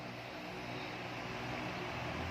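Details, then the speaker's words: Hatari 18-inch fan on speed 3 after replacing the failed capacitor (before, it spun weakly with a rough noise): steady, strong airy rush over a low motor hum, no wobble or rattle; runs like new, normal. "ผมจะทำการนี่ครับให้เพื่อนๆดูความแรงของมันนะครับแรงแรงมากๆเหมือนพัดลมซื้อมาใหม่เลยนะครับ"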